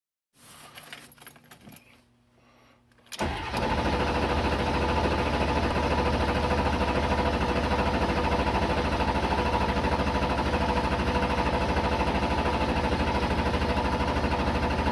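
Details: 7.3 diesel after injector replacement: starter churns evenly at about three beats a second for over twelve seconds with no firing at all; cranks but won't start.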